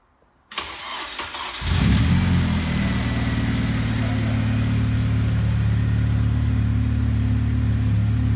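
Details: Honda K20A2 engine's first start after disabling the immobilizer in the ECU's K20 program: starter whirs briefly, then it catches and settles into a steady, even, smooth idle. A possible O2 sensor fault or bad relay remains suspected.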